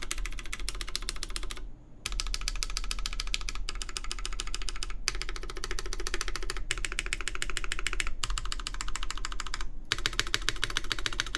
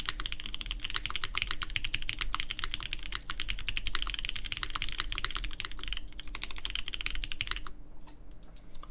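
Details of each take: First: Baron Boards BP One keyboard with full aluminum plate, GMK Terminal keycaps and lubed Cherry MX Black Clear Top switches: rapid uneven key clacks with a hollow ringing body, loudest toward the open back and the top row, where there is more space below the keys. Case resonance. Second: Baron Boards BP One in gasket mount evenly placed around the aluminum plate, GMK Terminal keycaps, lubed Cherry MX Black Clear Top switches: rapid soft muted thock, no spring ping or rattle; judged the best-sounding mount so far, after stiffer and more flexible versions.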